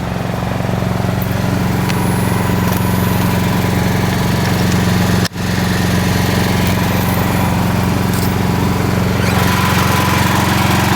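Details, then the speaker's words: Building emergency standby generator running during June fire alarm and emergency systems testing, generator contactor engaged, fan running; constant deep engine drone at even speed with no hunting or knocking; generator sounds good. "Damper was already open, but the fan is running, the generator sounds good."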